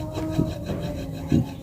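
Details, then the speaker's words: Honda Supra X 125 motorcycle with a clutch that won't disengage and feels rough: clutch-housing bearing spun by hand gives gritty, uneven rasping with catches, louder when spun fast; a new bearing is silent, so it's worn and replaced. "nah ini udah ada suara k merusuk nih bos ini kalau saya nakannya kencang"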